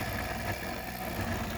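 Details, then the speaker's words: Large 3D-printed rotor driven by a coil; it wobbles because it runs on inserts instead of bearings. At speed it gives an even, steady hum with no rattle or knock. Normal running hum. "we wanted to get to that nice hum like that but not that rattle though there we go there we go he's flying"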